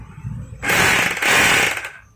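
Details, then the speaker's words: Repaired rotary hammer drill in concrete drilling mode with an SDS plus bit, drilling into concrete: a fast, sharp hammering rattle in two firm bursts with a quick stop. It drills strongly with great results. "so now I'll try to check it using the SDS plus drill bit. Okay, I'll try this in concrete drilling mode,"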